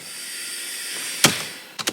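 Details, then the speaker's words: Mercedes-Benz B150 1.5 petrol with intermittent limp mode and hard starting: thin steady high whir about a second then relay clicks, fuel pump priming with key on after swapping fuel pump relay with rear window heater relay; relay suspected. "And that was the pump priming after switching the relays."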